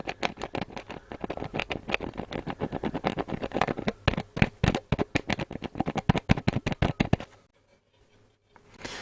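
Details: Hacker RP25 Sovereign 2 radio speaker: a rapid run of dry, scratchy rasps as the cone is pushed by hand, then silence; rust inside the speaker is rubbing.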